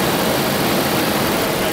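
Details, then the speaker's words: 1992 Daimler Double Six Jaguar V12 at warm idle: steady, smooth, even hum with no knocks, ticks or squeals; the reported odd sound appears only at certain rpm, not at idle. "it's running nicely now no no weird sound at all i did let it warm up before so this is pretty much a buffering temperature"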